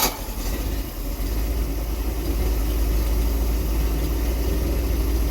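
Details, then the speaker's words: MerCruiser 898 boat engine, first start after intake manifold gasket replacement, before timing check: fires immediately, settles into steady even low rumble at idle, no misfires or knocking; normal idle. "started right up. That's nice."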